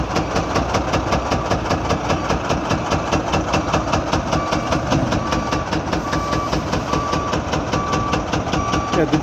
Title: Engine Knock Unloading Truck